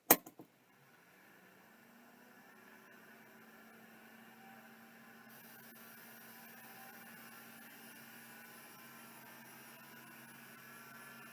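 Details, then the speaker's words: Seagate ST4144R vintage hard drive on power-up: a sharp clack, then a low hum and faint whine rising as it spins up and settles. It parks properly and appears to be working. "R I think that one's working yeah it sounded like it parked and everything so I think this one is actually working nice"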